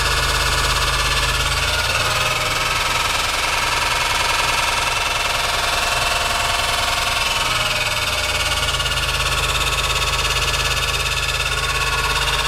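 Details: Horrible abnormal engine noise, cause undiagnosed despite good compression, correct timing and VTC solenoids checked as working. Harsh, rough metallic clatter over the idle that swells as the revs rise and fall.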